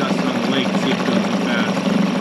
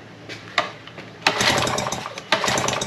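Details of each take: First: 2001 Yamaha 5 hp two-stroke outboard, just started and idling in gear to see if it dies: steady even putter, no misses or surging; normal idle in gear. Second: Yamaha 5 hp single-cylinder outboard: about five pull-start bursts, each a quick rattle that dies without firing. No spark because the kill-switch clip was not fitted.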